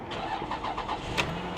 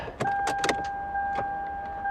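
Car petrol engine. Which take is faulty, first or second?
second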